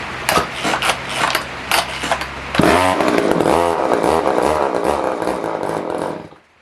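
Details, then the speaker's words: Older Poulan 1800 Wood Shark chainsaw, no-start repair, running only on starting spray with the chain adjusted tight: dead a few seconds, then catches and buzzes at a rough, wavering high rev but won't spin the chain, and dies. Carb jets were found way out. "It ain't wanting to spin that chain, is it, at all? she got right back real tight. It should have enough power to spin that."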